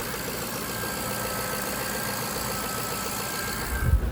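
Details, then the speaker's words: 2003 Jaguar XJ8 (X308) V8, first run in months after replacing bank 2 upstream oxygen sensor (code P1647), penetrating oil smoking off, codes cleared: steady, even low rumble idle, no knocks, misses or squeals; healthy. "But she's all back together. She is running."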